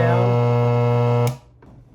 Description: How to fix a constant loud buzzing sound caused by a bad capacitor in an M-audio BX5a powered monitor speaker.